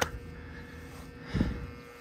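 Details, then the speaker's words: Rooftop split AC condenser unit, not running and very hot, contactor pulled in: a steady electrical hum and buzz with neither fan nor compressor running; the condenser fan motor has failed and the compressor is off on thermal overload. "all right so here's our second unit it's not running but I can hear it buzzing so we can see what's up with that and it's super hot"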